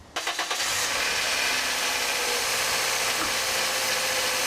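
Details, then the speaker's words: Car after replacing a wobbling worn water pump, alternator refitted and belt tightened, started before final reassembly: engine settles into a steady, even run with the chirping gone; normal running. "And voila, the little chirping noise has gone away."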